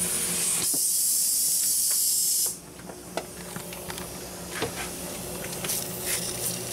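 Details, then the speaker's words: Mercedes-Benz bottomed-out air suspension strut pressurised with an air nozzle during soapy water test: loud steady hiss for a couple of seconds, then stops; bellows leaking badly between the metal and the rubber. "right there between the metal and the and the rubber it's leaking being pretty bad"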